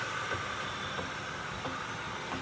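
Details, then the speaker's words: Rolls-Royce at low speed: a dull thud about every two-thirds of a second under a rolling hiss. The bearings sound fine; a driveline thud and knock, with the flex disc/flex plate or a CV joint suspected but not confirmed. "I can hear all the bearings are good yeah it's not a brine it's it's like a thud and knock"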